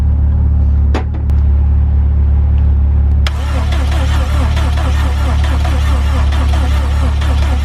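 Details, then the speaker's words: Subaru WRX with a freshly installed engine, first start attempt with vacuum lines not all connected: steady cranking about three and a half turns a second, never catching; fuel or ignition suspected, no check engine light. "Okay, so we're having turning but no start, so that's either fuel or ignition."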